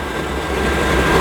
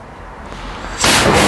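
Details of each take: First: Generic pressure washer boiler: steady, even burner fan roar with no combustion rumble or flame pulsing. Fan motor and spark transformer run on a 30-second rolling timer; with the thermostat turned down no fuel is introduced, so the fan spins with no fuel firing. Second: Hot-water pressure washer boiler, fan motor and spark transformer already running on a timer; on pulling the trigger fuel is introduced, a quiet fan hum then a sudden whoomp as the burner lights into a steady roar: normal burner ignition.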